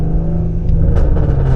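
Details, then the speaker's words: V6 Ford Mustang with catalytic converters removed, recorded from inside with the lower rear seat out: deep droning rumble turning coarse and raspy right at 2,000 rpm at light cruise, followed by heavy backfiring. "But around 2,000 RPMs, like on the dot, it gets so raspy. Listen to this."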